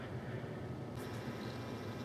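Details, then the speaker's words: Firewall PC in a Norco RPC-231 case with Thermaltake TR2 430W power supply and two 40mm fans, power-up test: soft steady airy whoosh with low hum, no rattle or ticking; fans nearly silent. Normal fan noise. "Everything's powered up, and I'm actually really impressed with how quiet this thing is. The power supply fan is running, but it's pretty much silent."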